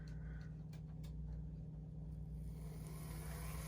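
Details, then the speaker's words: Bachmann Spectrum Dash 8-40CW N scale locomotive on a running test: faint, steady low hum, very quiet with no grinding or ticking; buzzes when tried on DCC, so DC only; runs normally. "oh is that quiet man oh man let's see if it does DCC nope hear that buzz that is a DC only super nice though"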